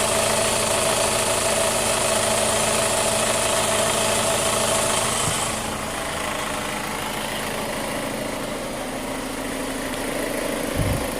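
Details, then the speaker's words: 2005 Chevy Cobalt LS 2.2L with a P0304 cylinder 4 misfire code, idling: a light, fairly regular tick of about four a second; the owner traces it to the exhaust or intake cam area, not the bottom end. "Yeah, that's on the exhaust cam, or intake cam, I mean, where that noise is coming from."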